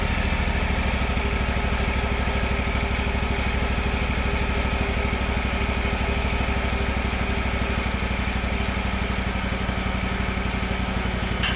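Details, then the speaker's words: Gravely 260Z zero-turn mower, about 2006, Kawasaki FD750D V-twin, new aftermarket carburetor fitted and idle screw reset, not fully warmed up: steady, even idle with quick regular beat, no surging or hunting left. "Burn like a kitten. No surging at all. Of course, not totally warmed up yet, but sounds pretty good. Sounds great."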